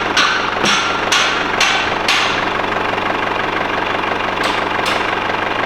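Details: Mercedes W210 E220 CDI diesel, which cranked but wouldn't start once warm with crank/cam sync codes, idling after a new Bosch crankshaft sensor was fitted. Steady, even clatter with no stumbling or hunting; healthy idle.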